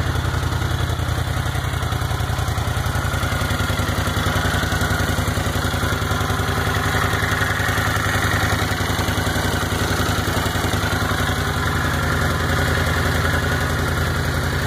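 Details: 1979 Honda CX500 first start after carb rebuild, water pump seal, radiator fan and transmission work: fast even idle with steady pulsing and light top-end clatter; idle set high since not adjusted after carb rebuild, valves later found slightly loose.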